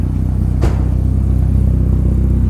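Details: 1983 Porsche 944 with new full exhaust system, oil pressure up: deep, even exhaust burble at steady idle with one short sharp tick, otherwise smooth and regular; running normally.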